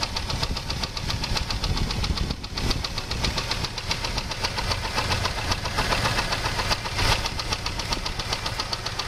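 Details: 2001 Jeep Grand Cherokee 4.0 straight six: sharp regular knock two to three per second at idle, began suddenly after 10-minute park; loudest at exhaust manifold-to-engine joint; valves, water pump and alternator ruled out; oil pressure normal; wind on microphone; cause unknown.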